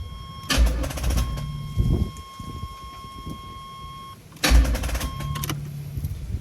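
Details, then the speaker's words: 1986 Chevrolet Camaro Berlinetta with open headers, left sitting for a while: two short, sluggish cranking bursts die out without catching while a door chime rings. "not yet it's going to probably take a little a little bit before it can actually start up"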